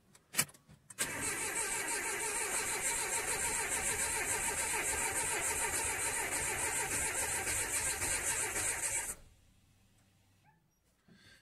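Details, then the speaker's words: Renault Scenic 1.6 after water pump, timing belt, spark plug and oil change, empty fuel rail: starter turns the engine evenly at about three and a half beats a second for eight seconds with no firing while fuel primes; compression confirmed fine. "it's going to take a bit of time to prime like i say i was worried about the compression well that is something that's good to know"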